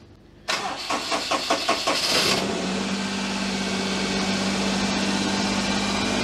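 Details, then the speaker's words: Daihatsu Charade after an engine swap, first start in neutral with the throttle position sensor taken from the previous throttle body (possibly needing reset), not yet warmed up: quick cranking, then a steady idle higher than it used to sit. "what's that revving up it's quite high for her but I just looked on Twitter and somebody else seems to have a day hatsu that sits at two but she sat a lot lower than that before"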